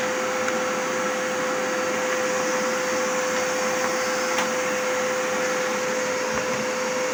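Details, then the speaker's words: Zanussi 2100 W vacuum cleaner running after repair and reassembly: steady, even motor whine with smooth airflow hiss, no rattles, grinding or speed hunting; works normally. "Все работает, все прекрасно."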